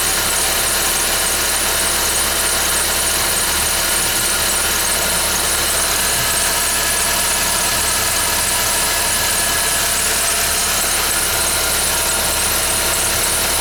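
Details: 2011 Ford Fiesta with only 10,000 km, cold start: a shrill, constant squeal over a steady cold idle that does not change over time; the source is unknown.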